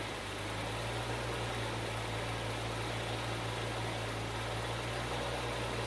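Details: Bitter SC (SC 377), Bosch L-Jetronic fuel injection, after fixing a faulty temperature-sensor wire. Smooth, even idle with a steady low hum and no knocks or misses: the engine sounds healthy and settled.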